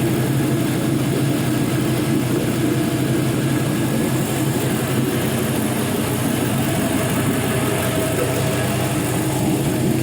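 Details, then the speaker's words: 5.3L Gen 3 LM7 LS V8, 140k miles, with many new parts, running warm on a test stand near 194 degrees: even, steady idle with a smooth low rumble, no knocks or misses, and no leaks underneath; healthy. "i mean that sounds good see underneath there's no leaks everything's nice and dry under here"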